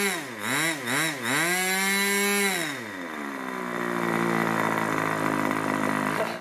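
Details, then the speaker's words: Irvine 40 MkII 1980s ABC Schnuerle glow engine, 10x6 Master Airscrew prop, 7% nitro 20% oil fuel; crisp two-stroke buzz blips up and down, then steady clean high-speed scream, no sag or misfire, about 12,300 rpm after needle tuning; normal run. "I really enjoyed that that was a joy to run it was lovely"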